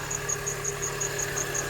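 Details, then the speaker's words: R53 Mini Cooper S idling after a new belt tensioner, crank and idler pulleys were fitted; a steady high belt squeal with a sharp chirp about five times a second remains, cause unknown (owner suspects power steering, A/C compressor or water pump). "There's still a little bit of a belt squeal. I'm not even 100% sure of what it is."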